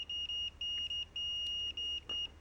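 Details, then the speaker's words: Expensive Fluke meter continuity beep-test, automotive fuse testing via decade box: at 91-96 ohms a high beep chops on and off in uneven, Morse-code-like bursts. It is still beeping at 99-100 ohms, with a threshold of about 120 ohms; a beep does not mean the fuse is good. "How often have you heard a mechanic in a YouTube video testing a fuse where it's beeping like this? Intermittent pulsing. Oh, if it beeps, it's good. No. No."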